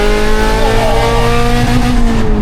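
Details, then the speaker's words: VTEC-swapped Honda EJ9 Civic under hard acceleration: very loud, raspy note held at high revs then easing off, with a harsh blowing edge; exhaust blowing at the manifold, believed from a failed clamp that came off. "I wondered why it went so loud. That's what a Civic should sound like. So luckily oh my god. I said to Ben, I noticed the exhaust was blowing from the manifold because it's basically one of the clamps has failed."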